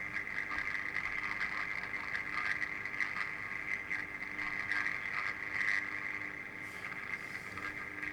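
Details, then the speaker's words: 1950s (c.1952) Healing 400H valve radio on variac at 220 V, after capacitor replacement, full volume: harsh raspy output with hissy buzzing edge, no clean tone; speaker suspected worn out. "Sounds like the speakers had it. Which wouldn't surprise me."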